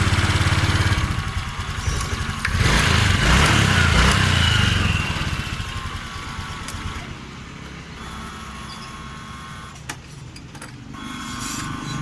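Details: Honda Vario 125 scooter, complaint sluggish and underpowered, started after fuel pressure check: pressure now over 40 PSI versus 20 PSI initially; engine catches quickly and settles into a steady, even idle with no stumbling or hunting. Normal idle.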